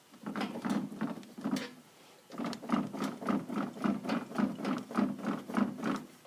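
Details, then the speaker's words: 2016 Grizzly ATV, right front axle unbolted and spun by hand: rapid, uneven dry clicking with binding and tension that seems to come from inside the front differential; the inner boot is intact and greased, and the left side spins freely and quietly. "like all the noise is inside the front diff there's a lot of tension and clicking that inside boot isn't torn it's full of grease hasn't given me any problems"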